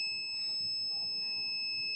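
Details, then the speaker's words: Laptop motherboard, probing capacitors at the controller that should carry 3.3 V: the multimeter beeps continuously and reads 0 ohms, so the 3.3 V rail is shorted to ground after the second MOSFET; PCH inside the processor found dead. "checking here you can hear the multimeter is beeping and this is zero zero ohms on the other side"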